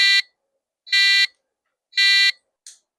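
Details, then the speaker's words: 1993 retro PC build, first power-on of the motherboard through a freshly connected speaker: three even, high buzzy short beeps about a second apart, BIOS code for base 64K memory failure; board is alive but reporting a fault. "So, that means the motherboard is probably alive and it doesn't like something."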